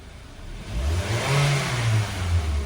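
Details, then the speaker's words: Mitsubishi Xpander revving (3.5 L oil capacity): smooth, even climb with no ticking or rattle; the timing chain noise is gone, the oil was the problem. "Wala nang ingay. Nako. Langis lang talaga. Langis lang talaga ang problem."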